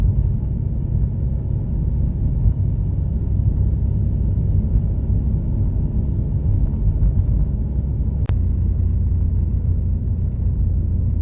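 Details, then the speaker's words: Un-restored 1937 Plymouth business coupe pulling away from a dead stop in first gear after flywheel wobble was fixed: steady low engine rumble, smooth clutch engagement with no chatter or shudder. "So let's test it out, and I'll show you how smooth it is."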